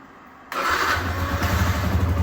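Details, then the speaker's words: Yamaha R15 v2, unused for a couple of years, about 7,600 on the odometer, new battery fitted: quiet lead-in, brief crank, then the single catches at once and settles into a steady, even idle. Normal start. "and yeah it works perfectly fine even couple of years it has never been started it works"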